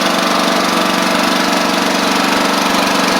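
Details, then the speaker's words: Troy-Bilt Bronco riding mower, Kohler Courage single-cylinder, carburetor jet drilled out after a stumble, warming up: constant even drone with a smooth steady beat and no stumbles or misses; running well. "yall hear it running pretty good so we're just going to let let it warm up"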